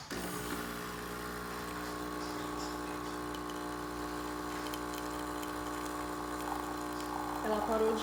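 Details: Dolce Gusto Mini Me capsule coffee machine after refitting a dislodged black internal part that caused vibration: steady, even pump hum while brewing, with no rattle or shaking.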